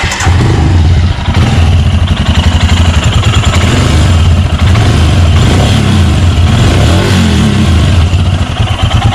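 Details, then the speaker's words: 2019 Royal Enfield Himalayan BS4 ABS, back from the showroom after a manufacturing engine sound issue was addressed with parts changed: steady single-cylinder thump with throttle blips, no knock or rattle over the exhaust beat; normal running. "ഇതാണ് നമ്മൾ ഷോറൂമിൽ നിന്ന് കൊണ്ടുവന്ന വണ്ടിയുടെ ഇപ്പോഴത്തെ sound."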